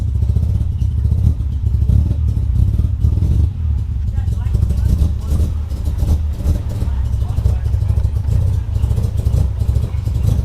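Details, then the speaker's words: Mazda RX-7 FC rotary, cold start, a bit smoky: runs rough and uneven with a low, lumpy drone and some clatter. It won't settle into a steady idle; cause unknown. "So that just doesn't idle, so if you guys know what's wrong with my car, comment below."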